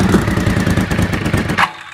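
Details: Honda VFR750 V4, previously suspected of running on three cylinders, after sorting ignition packs suspected wrong way round; even, quick firing pulses at fast idle until shut off, all cylinders pulling, runs clean.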